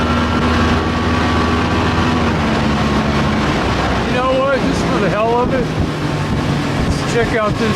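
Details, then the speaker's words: Old outboard after a new fuel line, primer bulb and fuel pump to cure stalling and bogging: steady low engine drone with an even note under wind and water noise, no hesitation; the fuel pump was the culprit. "no hesitation she sounds good baby my problem it's the fuel pump"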